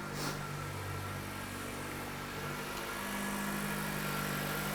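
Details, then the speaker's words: 2007 Dodge Caliber 2.0L non-turbo four-cylinder, severe drivability/no throttle control complaint, after installing new throttle body: steady, even idle hum with constant low note, no stumbles; sounds better, normal idle. "oh it sounds better already"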